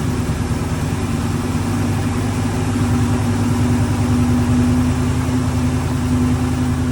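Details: Ford Bronco running after 11+ years sitting, two hours of work, on very old gas: steady even low rumble, smooth beat, no knocks or misses; normal idle.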